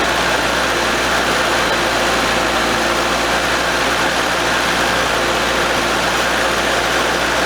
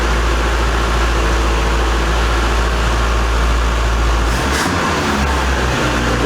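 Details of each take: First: 1982 Nissan 720 King Cab, new carburetor with the choke not opening, engine hot: steady, fast, slightly rough idle that won't come down even with the choke held open; a vacuum leak is suspected. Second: Abandoned 1982 Nissan 720 King Cab truck, modified carburetor, running after revival: steady, even low rumble with no misses or knocks; smooth healthy idle, though idle possibly set too low later and it died when choke off, electric choke suspected not working.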